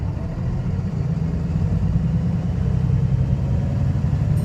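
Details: Arriva North West VDL SB200 (Pulsar) bus with Voith gearbox, at idle: deep diesel rumble with an uneven, lumpy beat and some thrash; sounds like a misfire, cause not confirmed.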